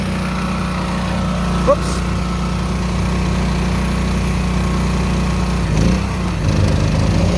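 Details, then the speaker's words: Old small single-cylinder generator, fuel filter removed and fuel squirted in: it starts and holds a steady, even drone with no misses or surging, running normally. "well I got the fuel filter off you open this up and skirt some of that in there and close it up [Applause] hey it's running"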